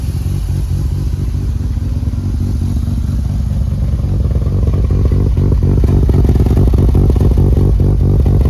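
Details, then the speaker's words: Mazda RX-7 FC3S with freshly rebuilt street-ported rotary, first runs, about 15 inHg vacuum: choppy, loping idle pulsing a couple of times a second; normal for a ported rotary, which loses some idle vacuum. "With any sort of porting, you lose a bit of vacuum at idle. Oh, that sounds sick."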